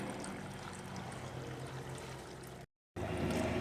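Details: Electrolux LTD06 top-load washer, lid switch held to simulate closed, running with sloshing and a rough, uneven clacking underneath; the agitator's drive splines are stripped.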